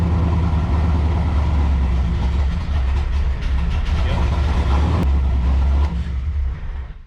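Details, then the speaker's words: C4 Corvette with Holley Terminator X EFI and nitrous, cold start while logging: fires, rumbles deep and lumpy, then stumbles and dies; hard cold start from bad ground wires and faulty O2 sensor. "I'm sure you heard it started, fired, it was okay, and then it turned into a piece of shit."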